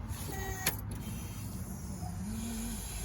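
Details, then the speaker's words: '68 Chevelle wagon with LS engine and new Holley Terminator X Max EFI, key on: low steady pump hum and brief whir for a few seconds, then stops; normal 5-second fuel pump prime. "Fuel pump cycling? Yep, it's got a 5-second prime."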